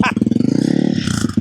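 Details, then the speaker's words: 2022 Honda CRF300L with a newly installed Yoshimura RS-4 full exhaust at first start-up: a crisp deep bark through a quick rev that drops back cleanly with even firing. It sounds healthy. "That sounded really good. Give me a little bit. Give me some. let it idle."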